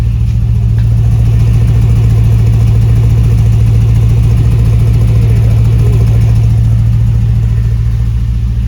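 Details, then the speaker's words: 1957 Chevy truck restomod V8, just started, cylinders being checked by temperature; even, deep burble at steady idle with no misses or knocks; runs smooth, though one rear cylinder reads a little cool for unknown reason. "how we started it up and we're checking the cylinders these are all pretty good there's one on the back side over there that's a little cool but it's three sounds good sounds smooth"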